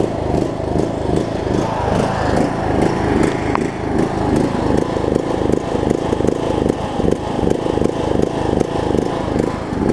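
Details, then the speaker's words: John Deere LA105 riding mower single-cylinder engine, sat about three years, cold near 40°F after draining water-laden fuel and cleaning carb, pulsing about 2.5 times a second, revs hunting; surging, owner suspects remaining tank gunk. "second gasps like crazy though I think there's a still a little bit of gunk and whatnot in the tank that it might have to work out but hey it is running"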